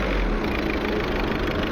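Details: VW Polo diesel, customer complaint of knock when pulling in second gear: rough, uneven rattle and knock over the clatter while revved after injector work and coding; injectors not yet quantity-adapted, adaptation by scan tool to fix.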